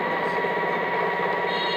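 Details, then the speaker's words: E-rickshaw motor spun from a charger showing 55.4 V, without battery, after controller servicing; steady even electric whine with a clear high tone, no knocks or grinding: the motor runs normally. "Charger দিয়ে আমরা মোটরটা ঘোরাচ্ছি। আপনারা মোটরের শব্দটা শুনতে পাচ্ছেন। দেখেন এই পিকআপ করতেছে, মোটরটা ঘুরতেছে।"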